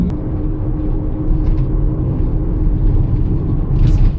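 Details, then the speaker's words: Steady low drone and rumble while driving, deep hum under road noise with no knocking; example of worn wheel bearing noise, which grows louder with speed. "I'm going to do at the very start of this video is just share with you some of the wheel bearing noises that I've captured so you can have a good indication of the type of noise before we jump into the testing methods"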